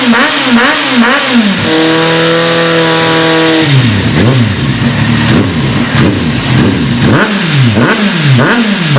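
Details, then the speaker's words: Kawasaki Z800 fitted with a Roncar Coyote Five sport exhaust with stainless coupling, heard outside: crisp rev blips rising and falling cleanly, then a held high rev, with a deep, even note and no misfires or rattles; normal revving. "Por falar em ronco, vamos lá fora escutar. Eu vou lá ver, aproveito para vocês, vamos escutar o ronco, tá? Percebe tanto que ficou maravilhoso."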